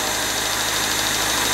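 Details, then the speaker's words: 1999 Honda Civic remanufactured engine with rebuilt cylinder head, first run while bleeding the cooling system: busy, sharp ticking valve clatter over a steady, mostly smooth idle; needs a valve adjustment, expected on a new engine. "now I've led the cooling system out sounds like it's going to need a valve adjustment I just some earlier but with a new engine it's to be expected you might have to do it more than once but she's running nice and smooth the most part"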